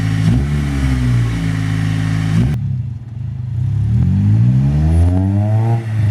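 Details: Acura RSX Type S with a new full Spec D cat-back exhaust, joined where it was cut and held by 2 of 3 bolts, so a leak is possible; deep, throaty note through two clean revs, pitch climbing smoothly; normal exhaust note.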